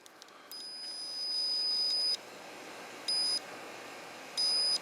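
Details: Early-1990s Honda Harmony 1011 riding mower, testing interlock switches after a corroded terminal cut ignition: three clean high beeps, one long then two short, as the probes touch; multimeter continuity beep, circuit closed.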